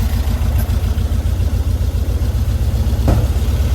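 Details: 1952 VW Split bus, new 1904cc stroker flat-four (74mm crank, 90.5mm pistons, replacing 1641cc), after a cut and weld: deep even thrum with steady low pulse, no knocks or misses; a leak is noticed; normal idle.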